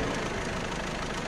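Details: 1.6 HDi engine, newly fitted, noise heard after first oil fill: fast metallic clatter over idle from timing-chain side, coming and going in strength; worn or stretched timing chain, tensioner or guides suspected.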